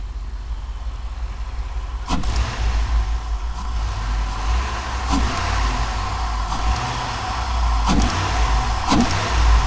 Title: Cadillac STS Diagnostics The problem was bad rings causing the misfire